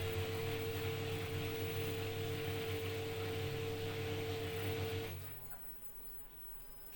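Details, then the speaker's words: New Mika front-load washing machine on spin-only after levelling the four feet: steady, even motor hum and drum rush with no vibration, knocking or rattling, then winding down. "machine is stable no vibration because it's a well balanced stable"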